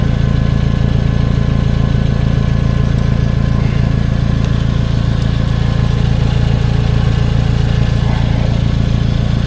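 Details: 2011 Toyota Camry after soldered repair of damaged crank position sensor wiring (P0335): steady, even idle with smooth low drone, no stumbles, misses or dips; signal verified at ECM, engine running healthy.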